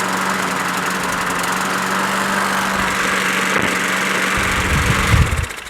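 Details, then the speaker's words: Craftsman push mower, Briggs & Stratton 6.75 Quantum auto-choke engine, after winter storage: runs unevenly with a lumpy, hunting note like stuck on choke; rich running, suspected vacuum leak via primer hole to Welch plug, fixed by swapping the carburetor. "that sounds just like that one doesn't sound very good what gives this one runs much better I'm gonna swap carbs"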